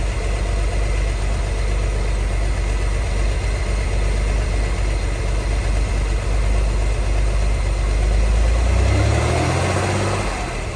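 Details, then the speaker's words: 1963 Corvair air-cooled six, parked since 1975, running on its own fuel pump and barely smoking. A deep, steady, even idle rumble with no knocks or misses; an earlier worse noise was suspected as the fan or generator. "sounds good it was making a much worse noise earlier than I thought was the fan"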